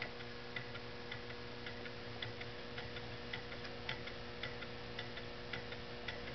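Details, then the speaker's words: Homemade Stirling engine running at a little over 120 rpm on a cooling cup of hot water, linkage pivots made of JB Weld. It makes a sharp, even clunk in time with each stroke, about once per revolution, over a faint fluorescent lamp hum. "can you hear it it does make a clunking sound"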